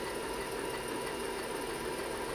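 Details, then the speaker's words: IBM PC 5150 hard drive during seek test after restoration: rapid, even, continuous squeaky chatter of the heads stepping back and forth; seeking normally. "random SS working I love that sound it's very squeaky"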